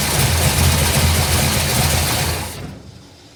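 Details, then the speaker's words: 1955 Bel Air with 572 big-block V8 (860hp, hydraulic roller cam), computer still learning: deep, even rumble with steady beat, no knocking; sounds great. Slight tapping at start-up, owner may check rocker arm adjustment. "Well, as you can see, sounds great. It's going to run great."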